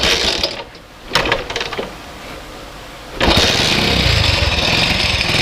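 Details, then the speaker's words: Hero Honda Splendor/Passion-family small motorcycle engine started and idling, fast metallic "kat-kat-kat" rattle from a slack timing chain, irritating while riding; fix involves removing a 14 mm bolt. "ये देखो इधर से आवाज़ आएगा cut cut cut cut करके। ये देखो कितना आवाज़ आ रहा है और ये आवाज़ हमें गाड़ी चलाते समय बहुत इरिटेट करता है।"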